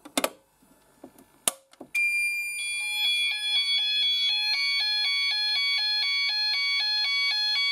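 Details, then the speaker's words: SMS SenTRI Honeywell one-loop addressable fire panel test, SEN-S-R addressable sounder set off from the SEN-806 call point: shrill sounder pulsing about four times a second with a crackle in its tone, cause unknown. "now i'm not sure why that makes that kind of like a crackling noise i think you can hear a crackling noise"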